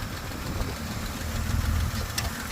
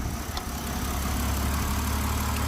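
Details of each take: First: BMW X5 E70 petrol engine at idle after sitting about a month, recorded in the engine bay: light, quick ticking about four a second over a low rumble. Lifter tick suspected, from oil drained out of the lifters. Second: BMW X5 E70 after sitting long, run about two minutes to re-lubricate dry lifters: steady, even idle with smooth low rumble and no top-end ticking; lifter tick gone, normal idle.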